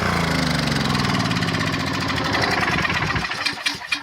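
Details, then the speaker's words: 1997 portable gas generator (3000 max), sat 20 years with old fuel: engine pulses unevenly, can't govern speed, then winds down; hunting from badly varnished carburetor, output only about 115 volts, carburetor replaced afterward. "we'll kick this thing on you listen to it you here struggling it can't seem to govern itself because the carburetors in such bad shape"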